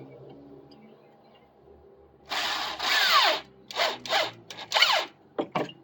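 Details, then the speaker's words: Drill driving a screw while rebuilding a deck section: bursts of high whine break into uneven rattling chatter as the bit jumps and cams out of the screw head because it is not seated properly. "Chatter's a bad sound. You hear the drill chattering like that, it means you're not in the head properly."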